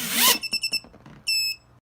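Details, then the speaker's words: FPV quad on throttle-up: brief rising motor surge cuts off, then short beeps and a longer tone, the runaway-protection disarm code; likely a replaced motor wired to spin the wrong direction. "you hear how it went deep deep that little beep code means runway protection just kicked in"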